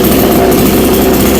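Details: New Black Bull (กระทิงดำ) B-CS152 GB6 TOP 6000 two-stroke chainsaw, 45.2 mm two-ring piston, longer connecting rod, new air filter, run after starting with choke then choke off: loud steady buzz at even speed, no misses or surging; normal running.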